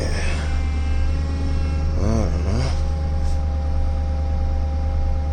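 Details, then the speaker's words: Truck idling on a cold start after a snow storm: steady hum with a wavering groan that rises and falls as the steering wheel is returned; owner suspects the power steering; cause unconfirmed. "something to do with the power steering why is it doing that when I'm returning this steering wheel"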